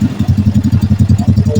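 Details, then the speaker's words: Honda Blade motorcycle engine after full rebuild (cam chain failure), first start-up idle with noisy exhaust; engine sounds smooth and even, quick steady beat with no rattle or tapping: normal idle. "Dengarkan suara mesinnya di sini. Oke, suaranya halus ya."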